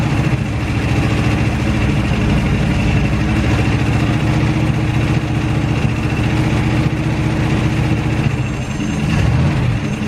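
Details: Derelict Dodge D150 pickup's old V8 fired up after long storage, with fuel poured in and the fuel line disconnected because yellow scuzzy fuel is coming out. Low, heavy idle with a choppy, uneven beat and no rise in speed: rough idle.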